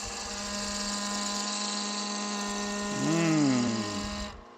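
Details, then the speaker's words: Long thin French rolling pin being spindle-turned on a lathe with skew and gouge: steady reedy buzz of workpiece chatter (harmonic vibration), quelled by resting a hand on the work. "You all know that sound, don't you? That vibration there, harmonic thing. You can quickly quell that by just putting a hand on it."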